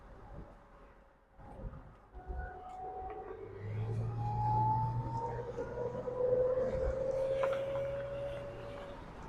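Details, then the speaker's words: 2007 Pontiac Solstice GXP automatic, 117,000 miles, rear differential leaking: while driving, a thin whistling whine rises and falls with road speed over quiet road noise; rear differential whine, due for replacement. "Take a quick video with the drive so you can hear the whine of the rear differential."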